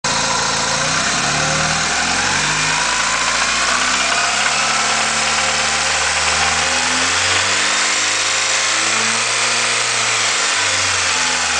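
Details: 1990 Honda Accord petrol engine with 10W-40 oil revved to 2000–2500 rpm and settling back, knocking noise in the mid-rev range.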